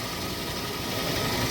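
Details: Hyundai Tucson after replacing dried-out, cracked drive belts including the power steering belt: steady, even idle with steering held at full lock, no squeal or chirp, just a smooth hum.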